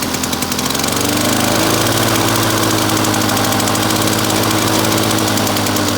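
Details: Victa two-stroke lawn mower rebuilt from two parts mowers, first test run after rebuild with new fuel tap (leaking slightly); loud steady buzz at full throttle, constant pitch, no surging or misfire; running clean and healthy.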